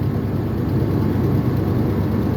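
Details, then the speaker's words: 1996 Ford F250 light duty, 326,000 miles, at idle: deep rough stumbling as cylinders drop out, worse under load; P1351 code traced to incorrect ignition control module. "so it'll crank right up like so but did you hear that it's misfiring at idle yep there it went so it it tries to run and you hear it it just it straight up misses just whole shebang"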